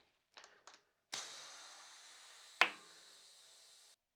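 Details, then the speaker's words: Mountain bike tubeless tire inflated with valve core removed, before adding sealant: a few sharp pops over steady air hiss as the bead seats, then no whistle; no leaks, so the rim tape and tire are sealing. "I am not hearing any leaks it would be pretty apparent if you had a leak similar to a tube you'll hear some sort of whistle"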